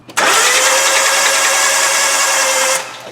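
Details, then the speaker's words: Hyundai Accent with a freshly charged battery: the starter spins the engine with a smooth, even electric-motor whir and no chuffing pulses. A compression test then showed zero compression, likely from a broken timing belt with bent valves. "okay so it just sounds like an electric motor turning it doesn't really feel like it has any compression that's a clue"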